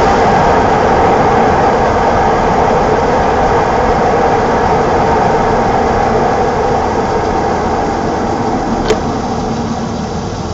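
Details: 1987 BMW E28 520i, M20 2.0-litre inline-six, 129 hp, nearly 400,000 km, running well again, recorded on a phone; smooth steady hum at even pitch, no knocks, ticks or misses. Normal running.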